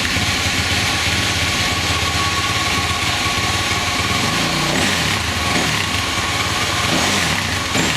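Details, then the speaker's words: 2007 Husqvarna TE250 two-stroke with 300cc Athena big bore kit, about 10 minutes run time, break-in: crisp, steady idle with even crackly beat, no misses. Normal idle. "I think I'm already running a lot cleaner than I was before, and I've only got 10 minutes of run time on this thing."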